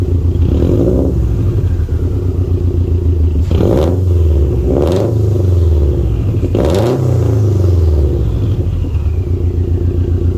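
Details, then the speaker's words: Tuned turbo Subaru during ECU idle relearn, reseated Torque Solutions turbo inlet: steady low idle, then three clean revs rising and settling back smoothly with no stumble or rattle, no vibrations; running really good. Normal idle and revving. "yeah the car just sounds so good right now like i feel like it sounded better than when i first got it back from the tune"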